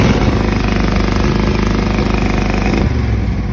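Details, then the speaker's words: Cub Cadet 782 garden tractor twin, after an unusually easy start: lumpy, uneven chugging with a missing pulse and little pull. Owner says it's running on one cylinder and suspects a cracked ignition coil cutting out when hot. "It's running on one cylinder because the coils get hot. There's a tiny microscopic crack in it. So once it gets hot, it expands and it cuts out."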